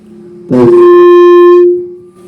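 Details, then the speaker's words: BMA SR88 wireless mic receiver after repair (capacitor replacement, added preamp module), gain turned very high: sudden loud steady howl holding about a second then fading; feedback howl at high gain. "itu sudah penguatannya sangat besar."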